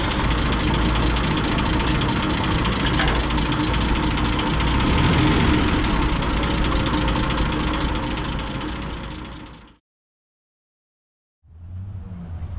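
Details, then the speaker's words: M8 Greyhound six-cylinder engine after distributor and ignition overhaul, idle mixture leaned and idle speed set: steady, even low idle about three beats a second, no misses, purring nicely, then shut off. "and it's just basically trying to find the fuel mixture of which the engine is idling the happiest purring away nicely"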